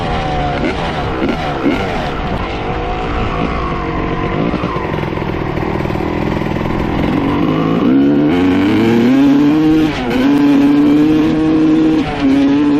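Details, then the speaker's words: 1995 Honda CR250 two-stroke after a float height change: first rev-ups are crisp and clear, but as it warms the rising tone turns muddy and hesitant and won't clear out; bogs when warm, cause not confirmed. "you could hear the first run up and down sounded really good really crispy cleared out completely and then as it got warmer and warmer it seems like it's getting boggier and boggier"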